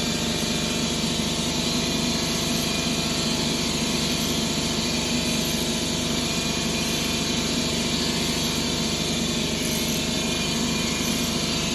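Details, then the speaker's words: 2011 Ford Escape 2.5L with P0300–P0304 codes, misfiring on cylinders 1 and 2. Rough, lumpy idle with an irregular stumble about three or four per second. Misfire traced to broken valves in cylinder 2 after pulling the engine and transmission. "So I've been having a misfire cylinder number 2 and 1."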